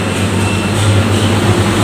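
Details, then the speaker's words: Drinks display showcase refrigerator after repairing nearly broken wires with peeled insulation: fan turning and compressor running with steady low hum and constant airy fan rush, no clatter; normal compressor running, starting to cool. "Kipasnya sudah putar, artinya semua sambungan sudah bagus, kompresor sudah hidup."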